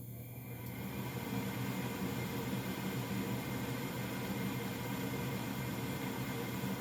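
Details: Old Goodman gas furnace startup, phone set down beside unit: igniter glows and inducer comes on, steady low hum with even fan drone building after brief start, no rattles or squeals; furnace lighting and running normally.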